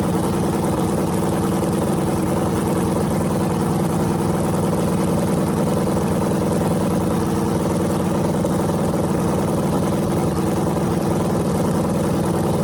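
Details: Freshly rebuilt small block Chevy 350 (355) on a run stand, restarted after refuelling, open headers, temps about 107 front, 76 back, plenum 69°: steady, even rumble with fast regular beat, no knocks or ticks; runs clean and healthy.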